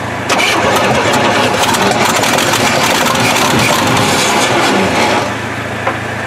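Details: 1968 Chevy truck not run in 15 years, with cleaned points and gas poured in, little fuel in the tank and a massive exhaust leak: catches and runs on with a loud, steady rumble without stumbling.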